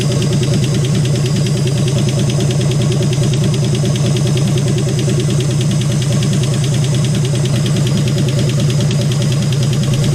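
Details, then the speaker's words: AMC 199 engine in a 1951 Hudson Hornet after head rebuild, idling with oil leaking and burning: loud idle with quick steady ticking in time with the engine; valvetrain ticking, suspected excess clearance from worn valves or lifters, not confirmed. "And valves make noise. Yeah, because there's too much clearance. Because they're all worn, right?"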